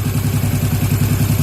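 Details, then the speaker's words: Yamaha Jupiter MX (old model) during carburetor setting: steady single-cylinder putter with idle raised from the standard 1300 to about 1600–1700 rpm before adjusting the air screw. Clean idle. "Kira-kira kalau putaran standar itu 1300, kita naikkan sekitar 1600 atau 700 ya."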